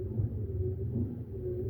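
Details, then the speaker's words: Hemi Duster's windshield wiper transmission with fresh grease, tested on a 12-volt battery charger: low, steady hum with no knocking or grinding or binding, motor turning four revolutions smoothly; normal wiper motor operation. "There is No binding, you know. See the motor there. The motor turns four revolutions. Beautiful. It works."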